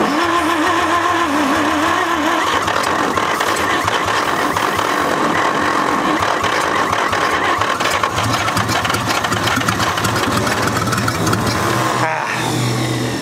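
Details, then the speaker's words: 1946 International KB1 truck sitting over 50 years, first start attempt on starting fluid: cranking turns into ragged, uneven firing that catches briefly then fades; won't keep running on its own. "just about had it i mean that's running but not enough to i want it to kind of just yeah at least run off the fluid just a little bit"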